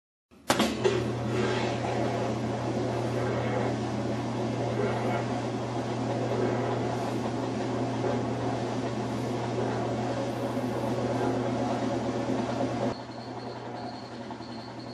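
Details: Whirlpool washer that made violent noises, after the slide (skid) plate was reinstalled and the motor and pump refitted: an even motor hum with a smooth agitate cycle and no scraping or rattling. Normal operation.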